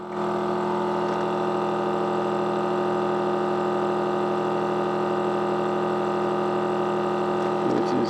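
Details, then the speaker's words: Vacuum heat sealer's small pump evacuating a bag holding a mobile phone: steady, even electric hum at constant pitch, no knocks or rattles; normal pump running before it stops and seals. "is slowly sucking the air out of that bag. There we go. That's got him."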